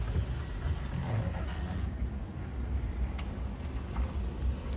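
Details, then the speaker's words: Toyota Tacoma after off-road impact bent a part into driveshaft contact causing screeching; part banged back for clearance, now driving with a steady low drivetrain rumble and no screech or scraping. "so as expected the problem was actually resolved that was it so uh we are good to go"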